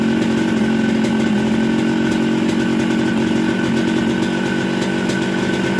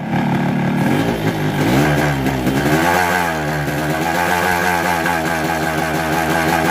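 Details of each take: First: Newly bought Yamaha RX-King two-stroke with a Yamaha 125Z head, after teardown replacing connecting rod and block, grinding crankcase corners so the magneto spins freely: crisp, high ringing note, steady and even, no rattles or misfires; runs sound. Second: Just-bought Yamaha RX King two-stroke with a 125Z head; the owner says the block was recently rebored. It revs with a very rough, harsh clattery rattle that worsens with revs. The con rod and block were replaced.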